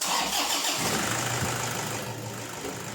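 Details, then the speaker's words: Toyota Hilux, 214k km, after timing belt replacement: engine restarted and settles to idle with a faint high thin whistle; worn drive belt slipping, quieted earlier but returns, needs replacing. "Kaya nga mga boss, nang in-start ko ulit itong makina, nagkaroon ulit siya ng kaunting sipol. Kaya talagang kailangan ng palitan itong drive belt niya."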